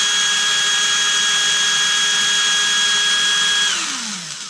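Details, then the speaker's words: Erbauer 18V brushless drill held at full speed: steady high whine at an even pitch, then sliding smoothly down as the trigger is released; brushless motor runs healthy. "So if we're going one way and if we turn this at the same time, we can go slower and we can go faster."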